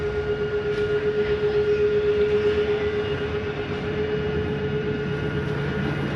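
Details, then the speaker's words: Jayco Jay Flight 28BHBE travel trailer slide-out retracting quickly with the door closed: a steady mid-pitched motor whine with light even pulsing and no grinding. The noise is an override that stops the slide going too far and is normal and harmless. "I wanted you to hear that noise. Don't fear that noise. That is just an override so that your slide doesn't go too far. It's not harming the slide at all."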